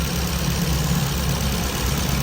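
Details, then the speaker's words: Car that stalled while driving because alternator wasn't charging, after fitting replacement alternator (charging 13–14 V): steady even low idle with headlights and AC on, no knocks or misses; runs healthy. "เปิดไฟหน้าเปิดแอร์[เพลง]ก็วิ่งดีนะครับ"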